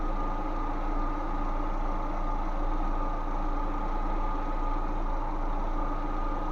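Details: Lada Vesta that whistled and hissed under the hood from dried-out, cracked vacuum hoses, after replacing the vacuum hoses without removing the intake manifold; steady even idle with smooth low hum, no hiss or whistle, engine sounds healthy.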